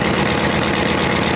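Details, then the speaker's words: Ford F-250 V10 after starter replacement: steady idle with fast, sharp puffing tick over engine note; exhaust manifold leak, owner believes gasket. "but fired up but now you can hear that I have exhaust man old leak what's going on here"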